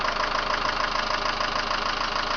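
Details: 2001 Mitsubishi Lancer Cedia GDI 4WD at idle: fast, even ticking over a steady idle in time with the engine; owner attributes it to the hydraulic lifters, due for replacement.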